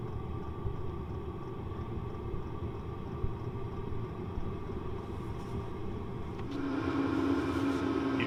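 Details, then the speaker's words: Happybuy 5 kW diesel air heater warming a trailer, heard from outside by the unit with its four-foot exhaust extension and nearly full tank: low steady burner roar with soft fuel pump clicking, then fan and pump ramping up; normal running. "i'm not sure if you can hear that now we can hear the burner going and the clicking of the pump"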